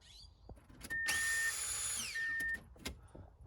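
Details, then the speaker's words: 1997 Subaru Outback fuel pump, found out of its bracket, reinstalled and tested at key-on: a steady high electric whine holds about a second and a half, then winds down. Normal priming; poor ground suspected as the earlier cause. "so i'm probably going to stick a zip tie around this and get it to seat better because it must need to ground there or something because obviously it's working again"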